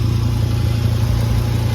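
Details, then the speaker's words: 2011 VW Golf Mk6 wagon at idle: deep, loud, blatting exhaust with uneven low throb and no muffling, exhaust escaping through a big hole at the top of the pipe before the muffler; exhaust leak, not at the flex pipe. "yeah so I think it's just right here [Music] big hole at the top"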